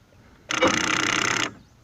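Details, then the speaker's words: 1995 Fleetwood Bounder 35U Class A RV, Marquis 7000 watt generator. One-second thin electrical whir that never catches or fires. No-start because the batteries are too weak to crank it. "having your batteries or a spare set of batteries that you can hook up to get power to that generator is a must if you're going to be living in this even camping in this"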